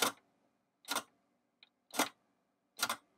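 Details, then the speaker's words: Vintage AM/FM phono receiver 8-track after teardown and minor work, running a cleaning cartridge: four crisp mechanical clacks about a second apart, clean and solid; motor runs and program change button switches tracks properly. "so it sounds like it's got a running motor so that tape cleaners been going for a while and the program skip button works"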